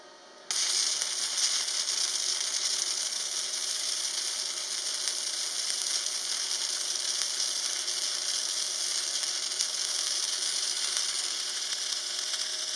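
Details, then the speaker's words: Parkside PMSG 200A2 welder, gasless flux-core on 3 mm sheet at 19 V/140 A with polarity left reversed: even crackling sizzle steady through the pass; correct result but would be better with correct polarity. "सही परिणाम लेकिन सही ध्रुवता के साथ बेहतर होता।"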